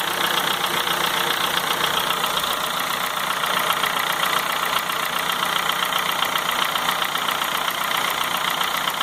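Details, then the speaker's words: 2004 Honda Fit 1.4 LXL gasoline CVT, warm idle with a fast, even, diesel-like metallic clatter of about two to three ticks a second. It is much quieter when cold and loud once warm; the owner later fixed it, cause unstated. "então o barulho pode ser que seja um pouco alto devido a isso mas eu acredito que não seja só isso porque o barulho está realmente muito alto então aí eu fico um barulho semelhante a um motor diesel"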